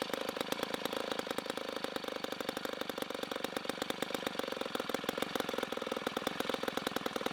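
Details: 1960s Homelite C-51/XL-12 vintage two-stroke chainsaw, revived, started with choke: rapid, crackly popping at fast idle with a slightly uneven, burbling edge. It is running a little rich and may be low on fuel.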